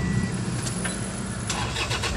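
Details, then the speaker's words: Toyota HiAce after repair of a hard-starting starter whose crank kept cutting out (loose connection, now soldered): one quick crank, engine catches at once and settles into a steady even idle; starter engages cleanly, normal start. "i-start na natin siya ayan siya an one click na mga idol"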